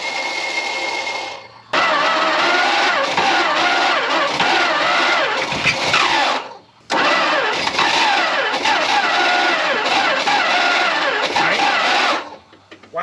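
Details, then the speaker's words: 1974 Dodge Monaco barn find parked 34 years, with spark confirmed: two long rough, harsh cranking runs with brief catches; starter sounds terrible, old fuel later blew out, belts coming apart. "starter sounds terrible"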